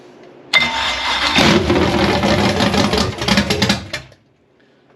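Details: Retired Chevy drag-racing engine, sidelined about 4 years after catastrophic damage, first start after priming fuel: few seconds of loud, raw, uneven firing as it catches and runs hard, then cuts; it runs.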